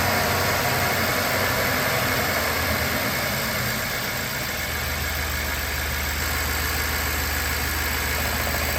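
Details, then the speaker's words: BMW 750Li with new PCV parts and air boxes refitted: smooth, steady idle with an even low hum and no stumbles, knocks or hissing; the earlier whistling and suction at the oil cap are gone, and the remaining noise there is normal vacuum pump sound. "So that noise that you hear under the oil cap is totally normal. It's a result of the vacuum pump that's used in this kind of car. If ever you hear that noise, it's nothing to worry about."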